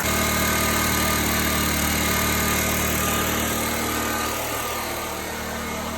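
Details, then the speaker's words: Briggs and Stratton-style small generator engine after carburetor refurbishment, started with choke then opened: steady, even hum with no pauses, vibration, surging or hunting; runs great, powering a refrigerator during a power outage. Normal running. "And it runs great. No pauses, no vibration, no governing. Works great."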